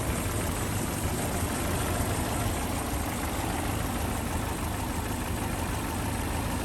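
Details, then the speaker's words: 1979 Land Rover Series III military Lightweight, reconditioned 2.25 four-cylinder, warm: steady, even low idle, no top-end rattle (slight rattle occurs only when cold); clean, healthy, willing engine. "as you can hear it's um hiding nicely not rattling now it is warm very nice willing engine on"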